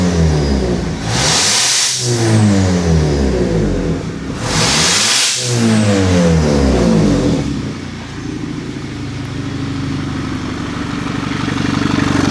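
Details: Turbocharged Audi A5 six-speed manual, just started after built-up debris blew out of a clogged catalytic converter: two quick clean revs climb and fall freely with no hesitation or bogging, then settle to smooth idle.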